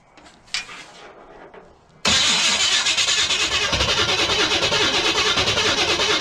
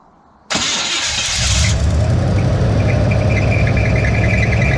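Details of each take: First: Chevy big-block V8 unrun for years, HEI distributor, with gasoline squirted into the carb and timing untouched: the starter churns about nine seconds but it never fires. The owner suspects he didn't give it enough gas. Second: Big-block Chevy V8 in a truck, not run in years, carburettor filled by hand, Marvel Mystery Oil in cylinders causing smoke: brief crank then deep steady idle without misfires; compression guessed to be decent.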